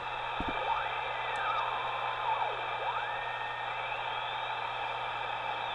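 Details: 1943 Signal Corps BC-348Q tube receiver, 75 years old, original tubes, leaking power-supply electrolytics replaced, resistors dropping 329 V to about 198 V, scrap-wire antenna: steady static hiss and low hum with whistles sliding as the dial moves, receiving normally.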